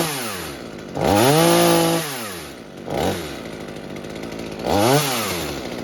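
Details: Mini chainsaw saved from scrap, being fixed for a fuel leak, after carburetor adjustment (low side opened, too-rich high side turned down): sharp revs climb and fall back to a smooth steady idle without stumbling; normal running.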